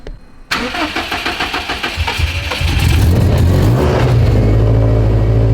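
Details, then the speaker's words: Built, turbocharged Subaru STI, first start after the build, before tuning and with cold-start tables still active. Cranks about two seconds, catches cleanly and settles into a smooth, slightly high cold idle; sounds healthy with no leaks. "oh my god it sounds so good it runs so we don't have any leaks yet bro it runs it does"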